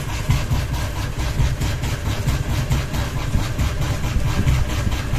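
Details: Ceiling fan wobbling from one out-of-balance blade, with a ball hanging: rhythmic whooshing thump about once a second over a low drone.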